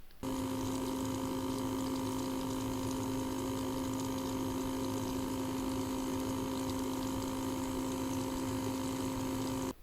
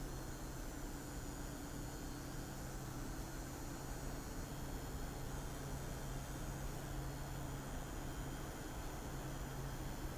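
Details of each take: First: Water cooler tested under 3D load: steady constant-pitch hum with faint rushing, an unusually loud, very unpleasant pump whine; the unit may be defective. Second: Thermalright CPU air cooler under 3DMark load: steady, even airy whoosh with a low hum, no ticking, rattling or pulsing; fans running normally.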